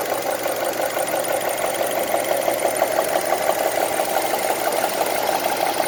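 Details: 2002 Honda CR-V on 10W-40 oil: light, even tick about three per second over a steady idle; engine ticking, cause not yet determined.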